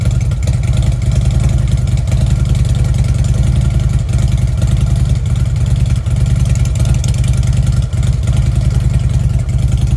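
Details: Fuel-injected Harley Ultra: deep uneven V-twin thump about three beats a second at idle and with revving, steady and strong, no knock or rattle; runs fine.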